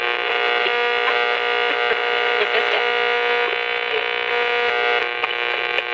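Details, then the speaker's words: Estate-sale 8-transistor superhet radio, model 6508, just powered up: steady buzzy hum under the radio's playing that never fades; needs capacitors, hum from aged filter capacitors. "It definitely needs capacitors."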